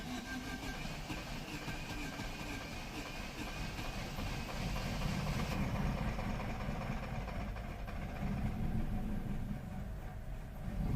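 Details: 2010 Vauxhall/Opel Astra H 1.6 petrol, auction car with poor idle, misfire-like running, sluggishness and P0011 timing code: fast, even cranking that never fires, starter spinning freely; no start.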